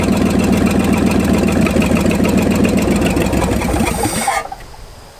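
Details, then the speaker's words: 1965 Ford F250 abandoned 26 years, after timing was advanced about 12 degrees and the points gap opened: it runs fairly even at a quick, steady beat, then shuts off; runs much better. "one of the two has made a major difference because watch this now it runs a lot better as it is if I pull the chill all the way"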